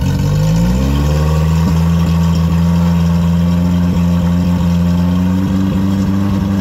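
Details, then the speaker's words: Yamaha F50TLRB 50 hp four-cylinder carbureted four-stroke outboard, on water hose, fully warm, ignition already checked: steady drone climbing off idle with recurring hiccups whose frequency follows rpm rising; stumble at all rpm, carburettors suspected, not confirmed. "the frequency of the stumble is consistent with the RPM we go higher"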